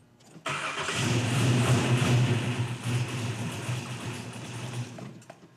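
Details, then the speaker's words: 1972 Chevy Nova build, start-up with good oil pressure, about 15 volts and fuel pump running: cranks, catches at once and settles into a steady, even V8 idle with a strong low rumble. Healthy start. "All right. So, start up went pretty good as far as we know the motor is running"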